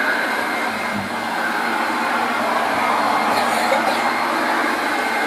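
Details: 1969 Hoover Junior 1354 Dirtsearcher upright vacuum, before restoration, on carpet: loud steady rushing whir with no rattles, grinding or surging; motor running smoothly.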